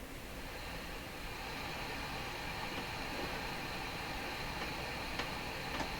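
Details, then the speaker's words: Hammarlund SP-600 receiver gives only a steady hiss with scattered scratchy crackles and no stations across the AM band, including on manual RF and AVC; fault suspected around tubes 6, 7 and 8, cause not yet found. "Don't know what that scratchy sound is either."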